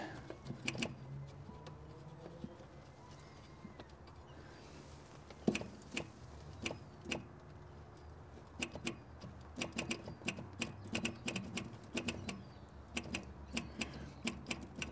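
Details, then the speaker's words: Austin/Morris van electric fuel pump with ignition on, dirty/old contact points: faint irregular single ticks with long gaps, no steady pumping rhythm; pumps only briefly when adjusted, not continuing, owner plans to clean the points. "might have to clean the points in this pump we can get it to pump by doing that it is pumping but not carrying on to pump right have to clean the point"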